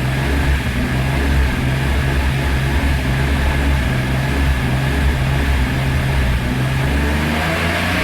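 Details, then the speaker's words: BMW E46 M3 petrol, warming up at idle: uneven idle that keeps stuttering, almost like a misfire, worse when hot; owner first suspected VANOS, cause found to be a faulty throttle position sensor, replaced. "You can hear now it's a little bit more hot. It really comes for stuttering."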